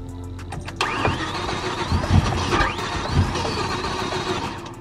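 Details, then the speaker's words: BMW M5 with newly installed sensor, freshly charged battery: starter whirs, engine briefly catches and surges then fades without idling; crank-no-start, cause unclear. "oh guys that's with a new sensor sounds like it's just right there i know it sounds like it wants to but i'm going to give another crank right there"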